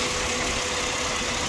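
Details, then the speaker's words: 2007 Ford Explorer XLT idling after a thermostat housing coolant leak repair and WD-40 on the noisy belt tensioner bearing. Steady, even idle with no chirp, squeal or rattle. No leak, and the engine is quiet again. "okay thank you for so good there's no leak the smoke is done already yeah i have the quiet engine again no noise"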